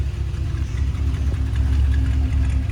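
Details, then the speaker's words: 1955 Chrysler New Yorker Town & Country Wagon V8 true cold start after pumping pedal: low steady rumble at slightly raised fast idle on electric choke, even beat, no knocking; oil pressure coming up, won't take throttle yet. "Oil pressure's coming up. Fuel gauge is working. Doesn't want to take any fuel yet. I'm going to let that electric choke kind of work with us a little bit."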